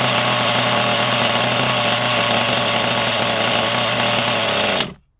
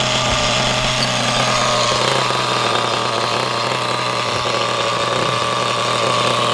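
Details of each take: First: High, buzzy, steady rev that never drops to a slow tick-over before cutting off, on a used HPI Trophy nitro buggy engine; the tick-over screw is set too far in, so idle is too high. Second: Normal running of a used HPI Trophy nitro RC buggy after adjusting the idle screw by ear: high, steady buzz, no misses or surges, idling a touch fast but smooth.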